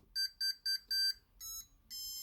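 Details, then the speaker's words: Tronxy printer with a Chitu motherboard, powered on after its stock firmware was backed up with jumpers fitted: four short high beeps, then two longer tones at another pitch. This is the normal power-on chime, and the stock Tronxy firmware boots fine. "we're going to turn it on we're going to hopefully hear those familiar trunksy beeps"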